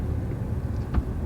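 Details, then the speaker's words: Nissan Rogue with 2.5 L four-cylinder and CVT, previously wrecked, driving: low road rumble with one dull thump; right-side suspension clunk, suspected poor reassembly after the wreck, nothing found worn; wheel bearing also roaring. "the suspension's got a little clunk on the right hand side you heard that it's not not rages but to me it shows that they just didn't put it back together correctly"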